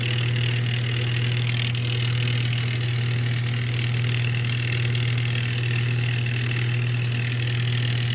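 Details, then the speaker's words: Whirlpool top-load washer on spin after a loose wire connection was fixed: a steady low motor hum with no drum swish. The motor runs but the tub doesn't spin; the owner suspects the clutch is not grabbing. "we got it on spin at the moment she's not spinning so I look in the bottom here she is going on"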